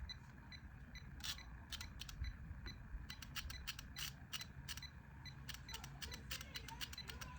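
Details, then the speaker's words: 2010 Jeep Wrangler K4 relay (about 81 ohms coil) bench-pulsed on 85/86: crisp clean snaps each pulse, relay switching properly. Cold-start clicking later traced to a loose negative battery terminal. "And yeah, it's working. The magnet is working. So I don't have an issue with my relays. My relays are fine."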